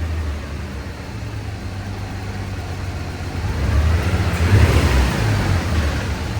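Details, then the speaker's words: Drift Nissan R34 pulling under load on a dyno: deep rumble with an uneven, stumbling misfire; cylinder 5 had a broken spark plug, porcelain dropped into the cylinder, power falling off. "And then I don't know if you can hear it in that video, but it started misfiring. Did some diagging. and it was number 5, and it broke the spark plug."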